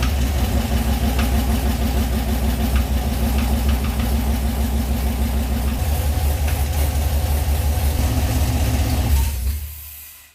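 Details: 1979 Camaro with a junkyard 6.0 LS V8 swapped in to replace a blown 6.0 from a 2500 Silverado, started after reassembly. It gives a steady low rumble at idle with even firing and no knocks or misses, then shuts off. It sounds healthy.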